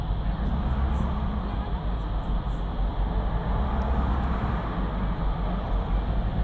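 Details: BMW 750Li, cold: starts and idles perfectly, but on restart runs rough with a deep, uneven stumbling rumble, misfires and hunting revs; owner notes it starts once it reaches about 50°C, when switching to VANOS operation.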